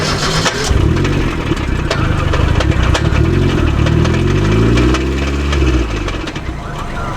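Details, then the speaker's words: Mazda Miata gearbox blown during tandem drifting, bang when flooring it, second gear gone: engine rises and falls through the gears over a coarse, loud, uneven rumble; clutch possibly involved, not confirmed. "That sounds rough. So that's first, Oh, that's fine. and then I'm not gonna put my foot up. Maybe it's clutch. Maybe. It's loud."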